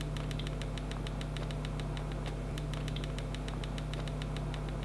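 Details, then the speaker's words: ASUS G16 2024 laptop: fast light ticking rattle, about six a second, over steady low fan hum, likely caused by an internal screw about a quarter-turn loose; tightening it fixed the rattle. "so maybe that little screw was my issue it seems that anyway I managed to fix this little guy"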